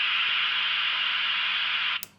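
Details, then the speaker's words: Clansman 351 radio after squelch sensitivity adjustment, in the L position that previously broke through: constant even hiss with squelch off, cut off cleanly after two seconds when switched back to squelch; no breakthrough anymore. "So that's the squelch off position."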